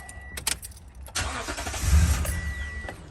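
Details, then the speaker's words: 2016 Toyota Tundra 5.7 V8, about 41,000 miles, intermittent stalling, throttle body already cleaned: starter clatters, engine catches, runs rough about two seconds then dies; starts but won't keep running. "See, starts up and cuts right off. It's such an annoyance."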